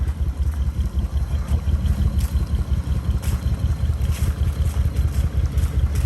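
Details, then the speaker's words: 2001 Lexus IS300 before 1UZ 4.0 V8 swap, original engine on a fresh battery: uneven, lumpy low thrumming with irregular loudness, smoking heavily and sounding horrible; runs rough and struggled to move even floored. "so the lexus runs but it doesn't run very well you can see it smoking like hell sounds horrible"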